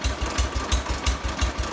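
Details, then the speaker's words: 1970 John Deere 140 lawn tractor, just restarted after a fuel-flow no-start fixed by pressurizing the tank: slow, lumpy, deep steady thump about six beats a second at very low idle, roughly 250–500 rpm; normal. "Idling it like, I don't know, 250 RPM, 500 RPM, something like that."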